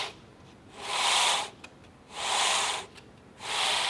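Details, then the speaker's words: 2x72 belt grinder, 2-inch version, belt turned by hand. Three slow hissing rasps as the belt scrapes across a platen and bracket set too far forward. Fix is to loosen the two bracket bolts and move the platen back to leave about 1/16 inch or less. "This is pushing into the back side of this belt, and you can hear it when I drag the belt across the platen itself here."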